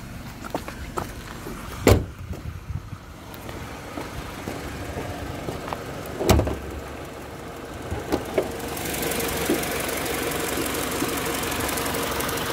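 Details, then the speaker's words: 2009 Mini Cooper 1.6i, 6-speed, 47k miles, timing-chain engine, heard with bonnet open after running a while: quiet, sweet, smooth idle with no ticks or rattles, just handling clicks around the bay; healthy engine. "so we've had the engine running in a while so you can hear how good it is it's very sweet and smooth sounding this is a timing chain engine by the way it's a chain driven engine"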